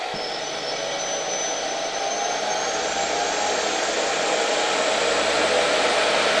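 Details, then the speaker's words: Electrolux model XII vacuum cleaner (1930–1936) motor on a voltage regulator. Steady, even airy whine with a light intake whistle and no crackle or scraping. Runs smoothly, with the old bearings only faintly audible. "Silnik działa naprawdę fajnie, płynnie, bez jakichś trzasków, bez jakiegoś nadmiernego tarcia. Pewnie słychać troszeczkę tutaj stare łożyska, no ale nie ukrywajmy, to jest zabytkowe urządzenie."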